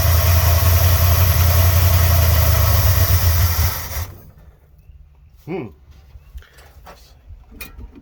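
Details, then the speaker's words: 1986 Dodge Ramcharger V8 after cleaned carburetor installed: deep, even rumble holds steady about four seconds, then cuts out as fuel runs short (owner suspects not enough gas in tank); ran smoothly while it had fuel. "You've seen that it's running, okay? I just got to get some gas up here to the carburetor."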